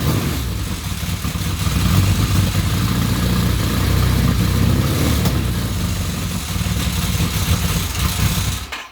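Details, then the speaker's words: Kawasaki KZ1000P Custom after a starter rebuild, with a newly installed Dyna pulser ignition: deep, lumpy idle with an uneven, stumbling beat that never settles. Rough idle; owner says the pulser timing and the idle still need adjusting. "So like I said, it's a little rough. I got some adjusting to do on the pulser, but I'll be able to get it there pretty quick."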